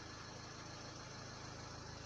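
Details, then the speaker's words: Renault Laguna 3 Coupé 2.0 dCi 180 diesel at idle after fitting foam pads into the upper dashboard: even, steady idle with soft low pulse, no buzz or rattle; dashboard vibration gone. "maintenant je vous laisse écouter le bruit il ya plus de vibrations"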